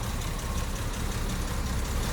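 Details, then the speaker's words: 1973 Jaguar XJ6 Series 1 Daimler Sovereign 4.2, first start in over two months, warming up and now off choke: low, even idle around 600–700 rpm, steady rhythm, no knocks or misses; sounds healthy. "allowing that beautiful come round the back and listen for the know that is perfect she is there look she's lovely yeah we're 600 rpm now there you go"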